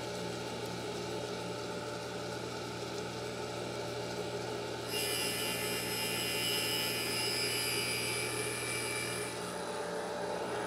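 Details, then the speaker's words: 302 cylinder head valve being refaced, its face grooved by excessive lapping from a previous valve job: a steady, gritty grinding hiss that turns brighter and harsher as the stone bites, a normal cut until grinding audibly finishes. "okay once you hear it once you can audibly hear the valve uh finish grinding then you can pull the stone away from the valve"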